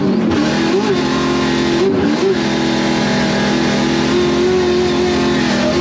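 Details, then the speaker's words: Supercharged drift car on the track on its practice lap with the small supercharger belt: hard revving with a thin wavering high squeal on throttle as the belt slips, heard from the grandstand; later replaced with a slightly shorter belt. "Turned out we were actually slipping the belt. The boys could hear it from up in the grandstand, the belt slipping, the supercharger belt slipping."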